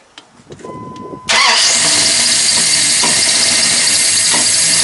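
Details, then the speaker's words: Freshly rebuilt Mopar 360 small block in a 1997–98 Dodge Ram 2500, first start: cranks, catches and runs loud and uneven with a miss; timing still off. "well so far he is uh having a timing issue issue getting it to run proper um still having a little bit of a Miss but he did get it a lot better than it was"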